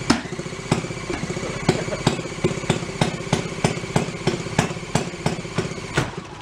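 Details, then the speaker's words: 1937 Sears Waterwitch 2.5hp outboard, old two-stroke after 60 years in a shed, barely running after points cleaning: slow, uneven popping with irregular gaps, rough and unsteady; possibly out of fuel, ignition timing still being adjusted. "oh i think it used all the fuel off i think we got to keep screwing with it the timing see where it is where it wants to run"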